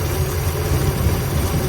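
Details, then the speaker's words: Ford Galaxie V8, just revived after long sitting with cleaned points, running on its own fuel supply: deep, even, steady rumble with no misses or knocks; normal idle. "still going though so that's about how long it takes to get an engine running in the real world and it really doesn't sound too bad now"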